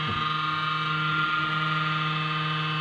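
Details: Desktop computer cooling fan at power-on: loud steady droning hum with several tones that stops once the system has booted, from a dry, dusty fan bearing.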